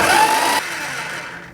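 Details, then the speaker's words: 1971 Plymouth Road Runner, running a little rich, starter cranking while checking for oil reaching the rockers: brief, strong high whir spinning the engine briskly, winding down cleanly with no grinding; normal starter cranking. "That starter sounds awesome."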